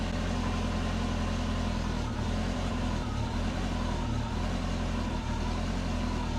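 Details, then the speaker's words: Subaru with DIY turbo exhaust manifold and flex joint, after cleaning fouled plugs and re-enabling injectors: engine settles into steady even low idle, smooth rumble with some vibration, no obvious leak hiss or ticking; needs some tuning. "It didn't sound like there was a massive leak or anything. That's good."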